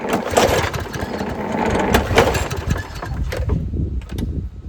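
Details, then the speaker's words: Craftsman push mower that sat 2.5 years, with a cleaned carburetor, fresh gas, new air filter, new spark plug and new carb gasket: rope pulls give short cranking chuffs but it never catches, cranks but won't start, owner suspects no spark. "I wonder if we even have spark. I didn't check for that. Let me check for that real quick. We may not have spark. I don't think we have spark."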